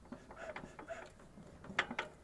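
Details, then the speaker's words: Lifan 420cc (17 hp) engine with unexplained knock, connecting rod braced and engine turned slowly by hand: soft irregular clicks as cam lobes push the valves; knock stops when valve is held off, normal valvetrain contact, not rod knock. "теперь это у нас кулачки томаш ток идёт получается тома идет шестерня и как бы этот как его кулачок как назвать он отгоняет вот этот кулачки вот эти клапана здесь отрегулировал все нормально"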